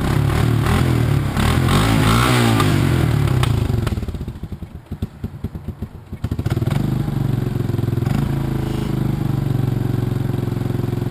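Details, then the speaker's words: 1986 Honda TRX200SX single-cylinder quad just started after steering shaft repair, choke partly on: fast raspy running with a brief dip and sharp puffing ticks; idle set too high and previously repaired exhaust leaking. "think I got to turn the idle down oh got to turn the idle down"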